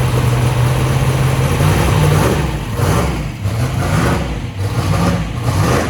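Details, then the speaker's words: 2500hp 427ci small block Ford V8 race engine on first start-up, after refitting a loose spark plug wire: deep lumpy idle with gentle blips, firing steady and even, running well with EGTs working. "so thing is good all right i think she's good uh egts are working"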